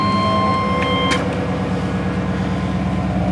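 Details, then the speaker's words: Truck with a crate motor of about 21,000 miles (191,000 on the truck), small coolant leak of unknown source, earlier 44/45 code: even, steady running after a brief chime, with no knocks, misfires or surging. Normal running. "so it's still cranks up and runs pretty good"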